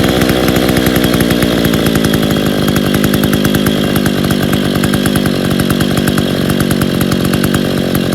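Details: Freshly reassembled Stihl 070 two-stroke chainsaw (new seal, axial play corrected; running without choke, cover or bar, clutch still to repair) fires crisply and holds an even high speed without bogging or sputtering: normal running.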